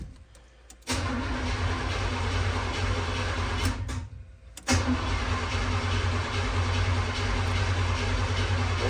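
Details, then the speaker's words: Freshly rebuilt 350 V8 in an El Camino, distributor power lead disconnected so it cannot start; even, steady cranking at a healthy pace with no firing, oil pressure reaching 50 psi while cranking: normal cranking, no start with ignition disabled. "So, I'm going to crank it again. There's no power to the distributor, so it can't start."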